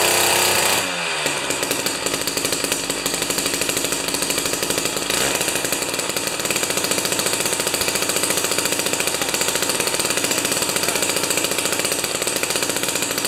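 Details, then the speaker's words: Jiffy 30 2-stroke 3HP ice auger after carburetor work, J19LM plug instead of J17LM: catches quickly, holds steady high revs with crisp even firing after mixture turned out from lean; running well. "i can set it to the point where it's absolutely whining high rpm but it's just sounding lean and then i turn it out a little bit and it looks good"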